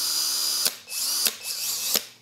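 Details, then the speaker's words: Hercules HC92K1 20V max lithium-ion brushed hammer drill (Harbor Freight), new out of box, running free: three short bursts of high steady whine winding up quickly and cutting off cleanly, sounds like old RC car motors; normal free-running. "sounds like those old RC cars the motors I'm sorry I didn't mention this before it didn't strike me to mention it I'm so used to tools being brushless nowadays that when you see a brush tool come along that's new it kind of throws you off this is a brushed tool"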